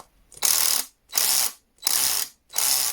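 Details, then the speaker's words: Einhell TC-CD 18/35 Li cordless drill with a mechanical clutch, held lightly: four crisp ratcheting bursts about two-thirds of a second apart as the clutch slips cleanly and stops tightening. This is normal clutch action. "not doing that, even if I hold on to it lightly. So I like mechanical clutch much better than electronic ones, but it is what it is."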